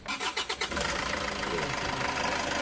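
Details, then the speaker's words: Isuzu Traviz with an engine noise complaint, started after tightening the loose AC belt and the nut behind the power steering pump: cranks briefly, catches quickly and settles to an even idle; the earlier scraping noise is gone. "Oh, 'di ba nawala na 'yung ingay nung makina? 'Yun bang naririnig mo na parang meron siyang kumakaskas."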